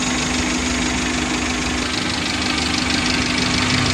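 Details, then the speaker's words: Car idling hot with a suspected stuck thermostat or weak water pump: loud uneven thudding from radiator and hoses like trapped boiling coolant, reservoir overflowing, upper and lower radiator hoses unequally hot; temperature warning light stays off. "di tangki cadangan di sini keluar air ya mendidih panas dan EE suara dari dalam radiator ini dan selang seperti air mendidih tidak bisa keluar ya jedak jedak jedak gitu keras suaranya"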